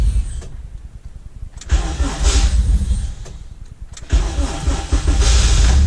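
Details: 85 engine in a Honda CT70, cold at a weekly winter warm-up, with a worn-out starter: sluggish, uneven cranking bursts that die off before it finally catches and runs. Slow cranking, hard cold start.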